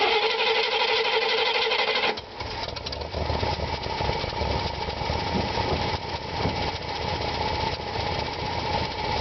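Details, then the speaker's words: 1964 Buick LeSabre, unmolested 50-year-old car with new aftermarket dual exhaust: start catches after two seconds, then settles into an even, low exhaust rumble at idle with no knocks or misses; smooth. "is pretty smooth see she's got a good Rumble"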